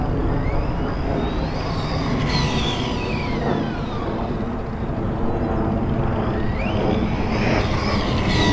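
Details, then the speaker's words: Arrma Outcast 4S BLX RC car on 4S, first run: harsh whirring whine rising and falling with throttle over rough rattling gear noise, much louder than owner's 3S car; bad gear mesh suspected. "he still sounds super loud man I don't know man the gear mesh is bad or something man something ain't right"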